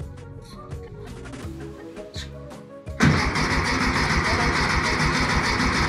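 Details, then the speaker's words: 1964 VW Beetle air-cooled engine, sat 8-10 years, after hooking up ignition: starter cranks at an even steady beat with no firing, not getting fuel; ran on starting fluid, later ran well after carb cleaning. "Yeah, it's just not getting any fuel."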